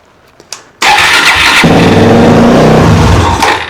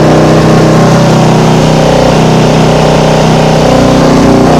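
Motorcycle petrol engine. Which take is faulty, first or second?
second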